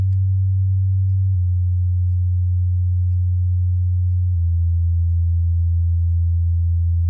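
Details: 65Q8C TV woofer at volume 10 of 100: a deep steady test tone steps down in pitch twice with a coarse buzzy edge, one woofer buzzing even at moderate volume.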